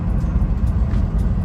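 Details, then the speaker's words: Turbo Honda S2000 in neutral, after the TPS was calibrated; before that, idle RPM was very high. Low, steady, quiet idle with no hunting or flaring, now running much smoother. "it's perfect and it's super quiet now because it would just be screaming at is wasting unnecessary gas yeah like honestly runs way smoother now"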